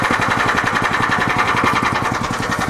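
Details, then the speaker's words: Club Car golf cart after engine swap, with cone filter adapter, K&N filter, performance throttle linkage and governor bypassed, cold start, idling around 1200 rpm, exhaust clip: even, quick pulses, no misses or knocks; normal idle. "you can hear, runs very well. Nice pop off."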